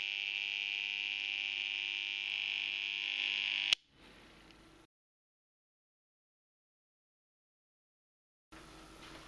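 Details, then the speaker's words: Circuit breaker on an overload test of about 3 kW: loud steady high-pitched buzz for nearly four seconds from the magnetic coil vibrating under excessive current, then a snap and silence as it trips. "alors le bruit qu'on entendait à l'intérieur du du disjoncteur c'est la bobine c'est-à-dire que la bobine elle est à deux doigts de sauter et vibre parce qu'il y a beaucoup de courant c'est bien trop pour elle"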